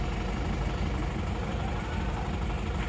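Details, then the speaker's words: Isuzu Panther L 1740 diesel after piston ring and sleeve replacement, first morning cold start. Deep, slightly uneven idle with faint shake that evens out as it warms, not stalling; mechanic judges the injection pump not at fault: normal cold idle. "Nah suaranya seperti ini jadi menurut saya ini tidak ada indikasi Bos pom bermasalah ya Ini bukan bukan bos pomnya ya kalau kalau pagi itu agak goyang dikit enggak masalah abaikan saja"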